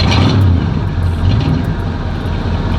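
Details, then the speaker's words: Oldsmobile Cutlass 307 V8 just after a cold start, back from the mechanic: deep, even idle rumble with no tapping or misfire, though it is about to die out. Idle sounds good; it still burns some oil at startup. "but this is idle I'm gonna die out I knew that was coming but bro that that Idol sounds good"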